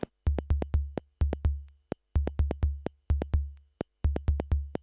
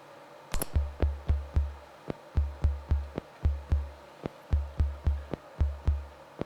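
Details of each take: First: Soundmaster SD-3 Disco Beat drum machine before repair: dull, muffled drum hits without snare noise, each trailed by a low ringing modulated like an envelope; a friend suspects a bad power supply, bench supply to be tried. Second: Soundmaster SD-3 Disco Beat drum machine after replacing a bad trimmer and redoing open solder joints: steady bass thumps with crisp, bright hi-hat ticks over them; hi-hat sounding normally again.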